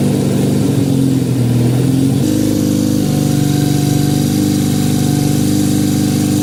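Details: 1968 supercharged Honda CL175 single (300cc blower on 175cc engine), first start in 30 years, ~92°F garage: fast lumpy idle that pulses and hunts instead of a slow even tickover; owner suspects vacuum leak, carb jetting or oversized blower.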